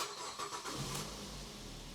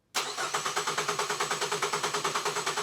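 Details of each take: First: 2008 LT Ford Focus 2.0 Duratec no-start with U1900, after PATS module initialization: engine cranks briefly, catches and settles into a smooth, even idle with no misses or knocks, then accelerates; normal start, fix confirmed. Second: Ford Focus with fault code U1900 cranks steadily and never catches. There are no pulses at the injectors or coils while cranking with the ignition on, although the crank sensor signal is good. Internal PCM (engine control module) failure is suspected.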